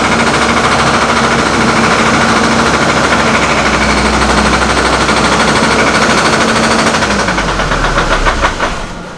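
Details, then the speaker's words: Copart Hummer H3 idling rough at about 500 rpm, dropping toward 400, then dying as throttle is added. Owner suspects a fuel supply problem or a failing fuel pump; cam/crank sensors are being swapped to diagnose. "it just dies it's almost like it's got a fuel supply problem"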